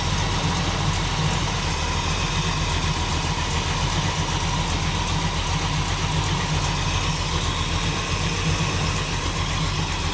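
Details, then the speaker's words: 1937 Buick street rod with 400 cu in small-block Chevy (~35,000 mi, rebuilt ~40 years ago, runs hot, aggressive cam) at steady V8 idle: light rapid puffing tick in time with firing from an exhaust manifold leak, burning a spark plug boot. "Got manifold leak. You hear it right there? It's burning the spark plug boot a little bit."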